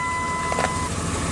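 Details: 1998 Dodge Ram after the no-start was fixed by rewiring around the faulty ignition circuit and adding a push-button start: low, steady, even engine hum with a faint whistle fading out. Running normally now.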